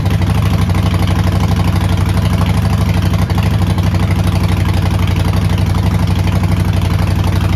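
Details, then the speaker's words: Neglected 2008 Harley-Davidson Sportster, long sitting, first start: deep loping potato-potato idle at about four beats a second, steady without stumbling; fired up with no smoke and no check engine light, a little black smoke when revved. "So, great news on the startup. It fired up. I saw no smoke."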